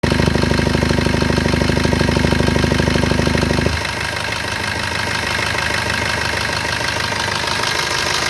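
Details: Maruti Suzuki Brezza engine at idle: heavy, regular pulsing at about two beats a second that suddenly eases off partway through; abnormal idle noise, cause unclear.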